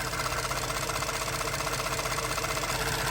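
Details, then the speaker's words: Ford F-150 EcoBoost direct-injection engine at idle after warming up, when one noise went away; light fast ticking about three per second from valve train and injectors; normal tick. "there's only one noise I can hear there's a tick noise so there is two type of noise one is from the valve train"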